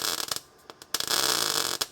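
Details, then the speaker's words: 1969 Dodge Coronet 500 sedan restoration: short bursts of crisp hissy crackle while stitch welding, the sizzling-bacon sound of correct MIG welding after earlier burning through too much. "There we go. That's the sizzle. That's the noise you want."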